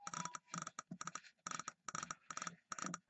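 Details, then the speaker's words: Mercury inline-six outboard ignition bench test of coil, trigger and switch box: rapid sharp snapping spark clicks repeating steadily; sparks normally only when trigger well grounded, stops when ground removed. "it's sparking away now watch I'm going to remove this ground nothing nothing at all put the ground back up"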